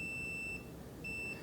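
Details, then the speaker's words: Multimeter continuity test on a scale cable connector: two clean, high, steady half-second beeps with a short gap as the probe finds the pin that matches the orange wire; the meter shows a closed circuit. "And I'm waiting to hear a tone. There it is. And you see, when I hear the tone, I'm also getting the measurement on the display."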